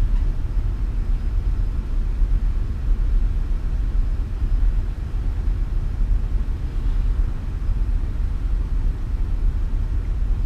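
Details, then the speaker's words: Petrol engine idles smoothly at about 800 rpm with a low, steady rumble, no misses or knocks, after a shop installed a new adjustable fuel pressure regulator and O2 sensor; earlier slight exhaust leak no longer heard. "idling very smoothly at about 800 RPMs"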